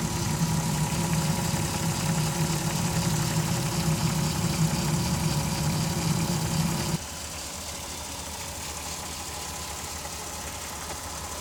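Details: 2002 VW Jetta V6, 158k miles, idling: uneven flutter about three pulses a second with a faint steady whine; had P0321/P0322 codes, crankshaft position sensor replaced, no other codes.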